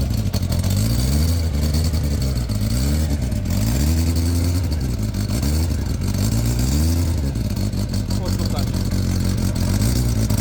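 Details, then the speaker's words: Motorcycle: engine blipped up and down with a rough chuffing blow under each rise; the muffler is holed and blows out inside behind the footrest. "Meg ezzel az a baj, hogy nem csak, hogy csúnya, hanem, hanem lukas. Tehát itt belül itt a lábtartó mögött itt kifúj, lehet hallani"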